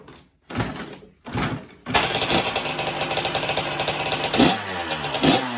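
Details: 1984 Honda CR125 two-stroke motocross bike with good compression: fires after a couple of kicks and settles into a crisp, zingy idle with blips; healthy normal running.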